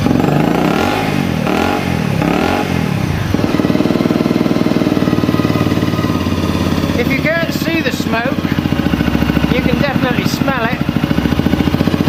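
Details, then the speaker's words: Honda CRF250L, already warm, after replacing ECU-flagged parts (injector): single-cylinder idling fast, revs rising and falling unevenly, hunting; better than before but still erratic high idle, still blowing blue smoke, no further codes, cause not found. "so i've still got a bad idol it's a lot better than it was but it's still not right no it's still not right"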